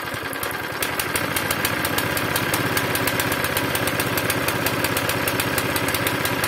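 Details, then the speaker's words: Zipper plate compactor reported to start, run briefly and die, smoking and lacking power, with very little fuel in the tank: rough, irregular chugging at about three beats a second with hunting speed. Owner plans to clean the tank and carburetor; cause unconfirmed. "Cześć dzisiejszym odcinku taka zagęszczarka co się moi drodzy z nią dzieje Zaraz zobaczymy ponoć odpala coś tam chodzi i gaśnie"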